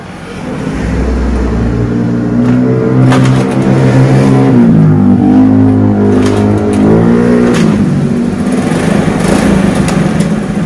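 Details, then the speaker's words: Carbureted Honda Beat that was totally dead with no ignition, running after its faulty regulator/rectifier was replaced; single-cylinder runs steadily, pitch rising and falling evenly with light throttle, no misfires or knocks; normal running. "Berhasil, sepeda motor sudah menyala kembali, dan kami dapat memastikan bahwa regulatorlah yang mengalami kerusakan atau gangguan. Ini berjalan dengan lancar."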